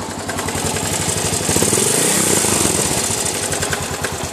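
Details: Suzuki DR 800 single-cylinder at idle: lumpy idle with a rough, uneven knock riding each beat about three per second; cause unknown.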